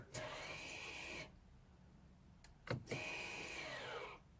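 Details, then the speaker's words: 2015 Volvo XC60 electric parking brake after rear pad and disc replacement: two short motor whirs about a second each, a steady whine then a tapering pitch as it clamps, applying normally. "Oh, lovely."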